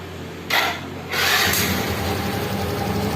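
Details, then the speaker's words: Yamaha Mio J fuel-injected scooter that wouldn't start, after replacing the dead fuel pump, with fuel pressure near 400 kPa: a short whirring crank, then it catches quickly and settles into a steady, even, responsive idle. "oke oke untuk seber motornya ini sudah menyala Ya sudah menyala dan dan responsif ya"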